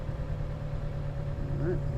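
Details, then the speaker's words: 2011 Chevy Cruze, brand-new engine failed within 10 minutes, after turbo replacement: low, uneven idle with a periodic stumble; scanner shows four codes including random cylinder misfire. "all right it's showing four codes currently and there's of course about a die it did it's showing four codes random cylinder misfire"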